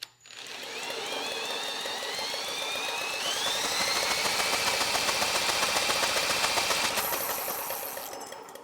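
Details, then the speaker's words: Generac GP series generator (GP5000/GP5500/GP7500e), neglected, condition unknown: engine spun hard gives a high rasping whine climbing in pitch over fast steady ticking, rough grinding inside, no knock; owner suspects a bad ball bearing, compression heard, expects only a few hours of life left. "Yeah, I don't like the sound of the engine. I don't hear a knocking, but it almost sounds like a bad ball bearing."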